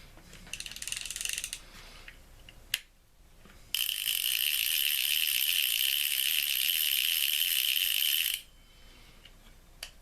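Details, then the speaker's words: Ocean City 920 level-wind fishing reel after cleaning, lubrication and reassembly, with a cracked side plate; loud fast even ratcheting click for about four seconds as the spool turns, clicker engaging properly. "All right, now let's see if we have a clicker. That is a very loud clicker."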